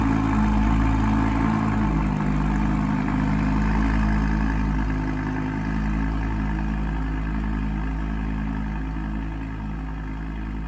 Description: Audi R8 Spyder V10 sound on ignition and idling with misfires valves open.